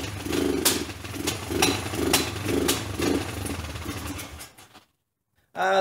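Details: $50 Kawasaki basket case motorcycle, first start after rebuild with loose side cover: uneven chugging thumps about twice a second that stumble and die out; runs rough and stalls, owner believes timing is off.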